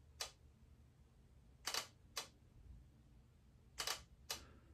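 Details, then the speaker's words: Hasselblad XCD 80mm f/1.9 first-generation lens on X2D camera: crisp short clicks fired singly and in quick pairs, clean and even. Normal leaf shutter operation. "Okay, so that one sounds more similar to the first couple lenses. The 45 3.5 definitely is the outlier."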